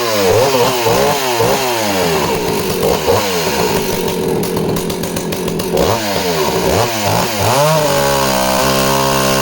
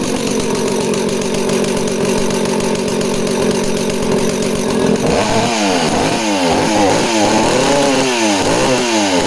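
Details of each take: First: Danarm 36 'hot rod' chainsaw, which misfires off-load: revs swing then settle into a strong steady snarl cutting wood; misfire disappears under load, no stutter. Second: Danarm 36 two-stroke chainsaw revving hard and blipping the throttle, rhythm breaking up with occasional pops and misfires; owner suspects the primary coil, unconfirmed.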